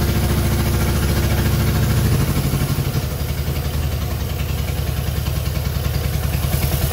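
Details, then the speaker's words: Innocenti S Spyder started on choke and starter fluid while fed from a fuel jug: uneven, lumpy low beat with loose clatter at idle, never smooth; rough idle, cause not yet found. "final we have an engine that we can just start up obviously it could be running a lot better than it is right now"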